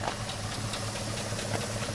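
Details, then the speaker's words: Truck on its second engine at idle, with a light, regular knock or click ticking about four or five times a second. The source is not yet pinned down. "and you can hear that knock I was talking about"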